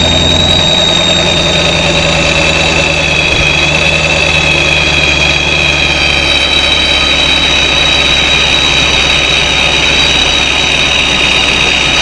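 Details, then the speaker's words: 2017 Camaro SS V8 just after ProCharger and intercooler install, air filter and blow-off valve not yet fitted: loud, steady idle with faint high whistle from the supercharger; normal idle. "oh it's loud it's alive yes it is running"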